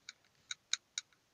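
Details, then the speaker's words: 2015 Nissan Tiida sedan front wheel while driving on the road: sharp, light, unevenly spaced metallic ticks a few times a second; possibly a loose cotter pin at the hub nut, fixed by tightening it with pliers. "miren ese ruido más o menos se escucha como algo metálico que está suelto más o menos es este sonido"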